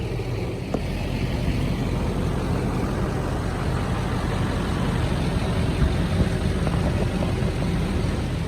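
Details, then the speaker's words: 1971 Insley excavator diesel, sat since 2000, restarted with throttle worked from behind; low steady rumble at even speed, no knocks, stumbles or surging; owner thinks a supercharger actuator he needs to understand was the solution; normal running. "so that is what i'm talking about not too shabby uh yeah there's some little actuator on the supercharger that i need to understand better because that seems to have been the solution"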